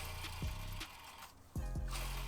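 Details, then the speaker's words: 1990s Lexus LS400 timing-belt job, original ~30-year-old belt: timing-belt idler roller/bearing spun by hand gives a rough droning hum swelling with each push and fading as it slows; worn idler bearing, being replaced. "the roller is bad now, so good thing we're replacing it."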